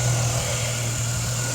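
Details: Idle of a 2004 Jeep Liberty 3.7L V6 4x4 (about 67k miles) after replacing water pump, tensioner/idler pulley, thermostat and serpentine belt, heater on full during coolant bleed; smooth even hum, faint belt whir, no ticking or squeal; healthy.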